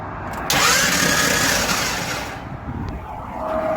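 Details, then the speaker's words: Truck starter whirs freely with a rising whine and no cranking, the transmission turning but not the engine, because the flex plate snapped in the center after pulling out of a rest area in second gear. "That means the motor's not spinning, but the transmission is. You know what that means? For anybody who knows these trucks, knows I just snapped the flex plate in the center."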